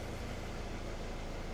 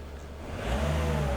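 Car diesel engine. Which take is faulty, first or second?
first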